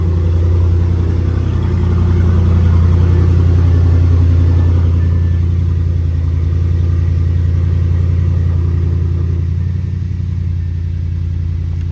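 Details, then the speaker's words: Audi petrol engine after fixing misfire and tailpipe smoke by adjusting a shifted timing adjuster: steady, even note held at high revs up to about 5,500 rpm, no stumble, no smoke, no EPC light; normal running. "Yeah, RPM's dropped. It's running smooth. No EPC light."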